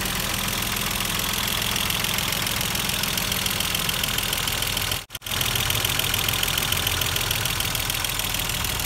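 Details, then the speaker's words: Mercedes-Benz W124 engine just reassembled after cylinder head work for oil loss and white smoke, first start: busy uneven ticking over steady idle, hydraulic lifters clattering and fading as they fill with oil; white smoke gone. "Setelah beberapa saat kemudian, mesin yang tadinya terdengar kasar perlahan-lahan mulai terdengar berkurang. Itu dikarenakan adjusternya sudah mulai terisi dengan oli."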